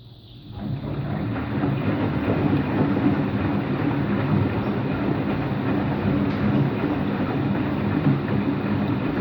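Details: Washing machine on an empty rinse-and-spin cycle: drum winds up within a second into a loud, steady rumbling roar through the spin; owner suspects both motor and drum bearings, no leak seen; rumbling during spin.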